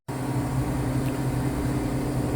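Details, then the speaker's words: Cornelius nugget ice machine after installing an ice bin extension kit and repositioning the bin thermostat probe: steady low motor hum with an even tone, no labouring or struggling; ice dispenses smoothly and normally. "It's coming out a lot better now. You don't hear that struggling sound of the motor. The nugget ice is separated good, so I think we should be all set."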